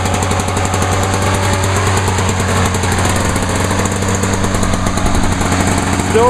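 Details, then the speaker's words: 1986 Lawn-Boy 8461 Commercial mower, over 30 years old, with a freshly sharpened blade: a steady, even two-stroke putter holding a constant speed with no misses or knocks. Normal idle. "good for a lawnmower that is over 30 years old"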